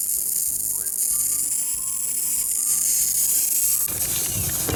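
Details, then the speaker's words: Rain Bird irrigation system spring start-up, air purging from lines: hiss of escaping air and water, then quick even ticking about three to four clicks a second as rotor heads pop up; normal rotor sprinkler operation. "you can hear a hissing right here so there's a sprinkler head down there that's the air getting out there we go [Music] and they're all starting to pop up if you get in the air out"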